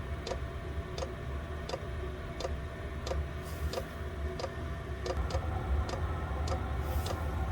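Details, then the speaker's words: Chinese diesel air heater started at 13 degrees: steady light ticks roughly every three-quarters of a second over the fan's low hum as the fuel dosing pump kicks in; normal pump operation. "okay so you can hear that the pump's just kicked in"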